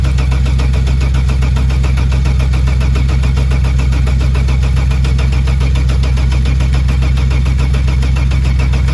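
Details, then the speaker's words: Saab 900 V6, previously driven, original battery refitted: fast even cranking about four turns per second for nine seconds, never firing; fuel pressure to be rechecked, cause unconfirmed. "Get nothing. Alright. Let's just double check that fuel pressure and we'll go from there."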